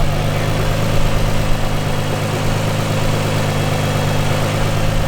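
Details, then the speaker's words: Car at a track day, oil pressure reading normal: steady rough idle with a dense, gritty grinding underneath, which began seconds earlier as the crank pulley started wobbling more; a knocking is also suspected. "You hear that? That grinding? Can you hear that grinding in there?"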